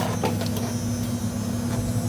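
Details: 1988 Mazda RX7 sat for 10+ years, electric fuel pump running to drain the old fuel tank: steady low electric hum with faint buzz at constant pitch, no whine or rattle; fuel pump running normally.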